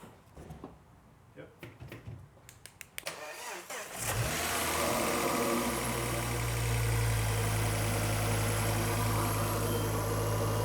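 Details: Ford Focus ST after a complete engine rebuild for bearing damage, second start after tightening a fitting at the back of the engine bay: clicks, crank, catch, then smooth even idle; running nicely, though smoking from spilled oil and no power steering.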